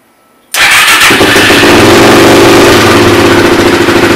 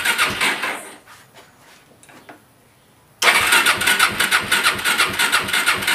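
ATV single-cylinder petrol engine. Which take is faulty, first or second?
second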